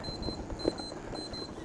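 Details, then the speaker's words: Amyet S8 dual-motor e-bike at 22 mph on dual motors, throttle only, in high grass: short repeated shrill beeps over motor whir and wind as several warning alarms go off, cause unknown. "And there was 22 miles per hour and we got all kinds of alarms going off."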